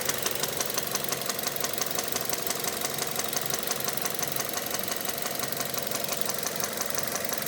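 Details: 2006 Mazda 6 GG 2.0 at idle: sharp, regular knock about 87 per minute; cylinder 1 rod bearings spun and crumbled from oil starvation (stuck oil rings, 300-500 g oil/day); fix is replacing rod bearings.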